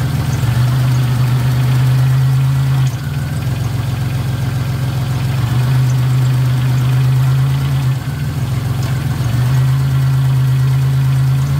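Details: Car idling after transmission filter and pan gasket replacement and refill with 4 quarts of fluid: steady, even low idle with no knocks, ticks or misses, no leaks; normal idle.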